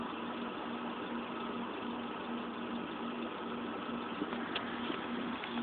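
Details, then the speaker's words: 2007 Mini Cooper petrol engine idles with an uneven, wavering, fluctuating hum, on the verge of stalling; rough idle. "I know you said some fluctuation is normal, but this doesn't make any sense whatsoever. I can't. I have a hard time believing that's normal. Like it's on the verge of dying. Like it's not. It's like it's gonna stall."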